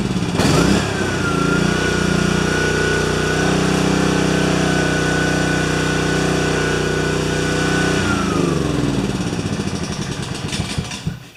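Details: Self-propelled spare mower with rpm increased slightly and self-drive belt tightened last fall. Steady, even note that settles at a slightly higher speed and holds without misses or surging, then winds down smoothly. Normal running.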